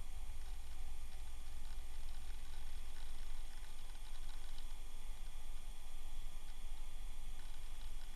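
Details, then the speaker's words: 1997 Dell Latitude CP laptop, sent in as "will not turn on", powering up on bench supply: old hard drive crunching and ticking irregularly as it seeks and loads software, normal chatter, no grinding. "Okay, turned on. We have some airplane software here. I can hear that hard drive just crunching away, though. Oh my gosh."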